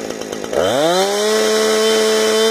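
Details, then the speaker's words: Chainsaw 455 with fresh round-filed chain, carburetor tuned: revs up in half a second to a clean, steady scream near 13,600 rpm at wide open throttle with no load, idle about 3,100 rpm; normal, not hitting the limiter early. "turning right out a 13-6 wide open throttle with no load in it which is what saw supposed to be"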